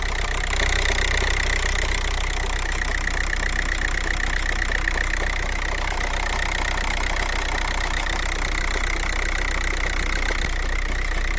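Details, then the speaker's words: VW TDI with DSG dual-clutch automatic: failed dual mass flywheel gives a loud marbles-in-a-can rattle over the diesel idle, with vibration through the vehicle; rattle can ease when revving or accelerating. "the symptoms of a failure of this part is at idle it's gonna rattle it's gonna rattle quite a bit it's gonna have vibrations throughout the vehicle as well especially if it's as bad as what i've shown there"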